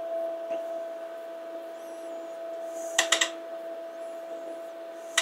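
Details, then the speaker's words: HP 8902A measuring receiver bought on eBay as functional, fed a signal in automatic RF counter mode. Over a steady fan hum, quick bursts of sharp attenuator relay clicks come about every two seconds, endlessly. Attenuator hunting; attenuator o-ring failure suspected. "but you can hear the attenuator clicking and it'll just keep doing this forever"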